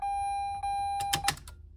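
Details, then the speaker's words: Mazda RX8 chassis on about 11 V battery power for the first time, key on, not cranking: warning chime then sharp relay clicks, no fuel pump whir; owner suspects neutral safety switch or immobilizer. "heck yeah dude heard some relays click over there I don't hear the fuel pump going so I'm gonna have to figure that out"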